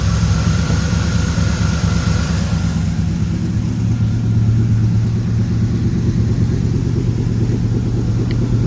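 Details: 1976 Corvette Stingray V8 first run in 8–10 years, fresh filter, idle turned up, warming up, oil pressure good: deep, even rumble that settles to a steady, smooth beat after a brief higher start. Idling normally.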